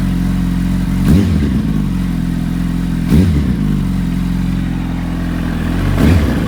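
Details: Warm 2005 Yamaha R1, engine rebuilt a month earlier, on its third oil change with rings seated, full titanium TI Force exhaust: a steady, even idle with three quick throttle blips that rise and settle cleanly, running smoothly.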